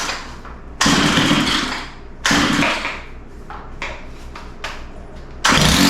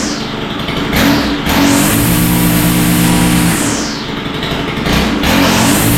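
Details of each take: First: Stihl FS91R four-stroke line trimmer that starts and idles but won't take throttle: engine blips in short bursts then sags to a lumpy uneven idle; idle had to be sped up, likely rich idle mixture, low-speed adjustment next, carburetor likely to be pulled. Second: Stihl FS91R four-stroke line trimmer after carburetor work, started on full choke: snaps up cleanly on each throttle blip and drops back, revving freely with slight mixture fuzz. Seems to be idling too rich; the carburetor likely needs adjustment.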